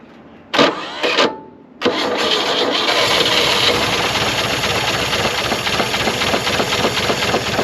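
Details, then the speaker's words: 1960 Chevrolet C-10 inline six, auction truck untouched before this first start attempt; two short cranks, then it catches and idles with a steady hammering knock of unknown source, which the owner hopes goes away with running; engine knock. "she is not happy I don't know if you can hear that but she's hammering she's hammering pretty good hopefully that goes away with some time but uh it runs"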